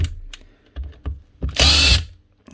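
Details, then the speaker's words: Drill motor from a mixed box of power tools sent in for repair: harsh, rough gritty bursts instead of a smooth whir, and a clicking when the chuck is spun by hand; failed armature with a burnt commutator segment. "it's tell with the sound whenever you spun the Chuck by hand you hear that sort of clicking sort of sound you know it's the motor there you go right there burn out segment so that Armature is actually gone"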